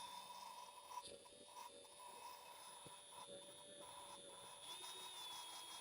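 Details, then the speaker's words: 5.9 Magnum cylinder head, second gen Dodge Ram, valve job: steady drill whine over soft irregular gritty grinding as a valve is lapped against its seat, grinding fading as the seat finishes. "I'm going to keep going until you hear it that it's like grinding less like right there. You You see how you can barely hear it?"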